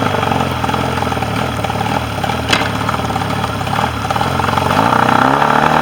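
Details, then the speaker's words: Mercury 40 outboard that came in unable to idle; a balance check showed the bottom cylinder was not firing. Now it idles evenly on both cylinders with no crankcase leak, and revs climb smoothly without misfire or stumble. "start her up. Run on both cylinders."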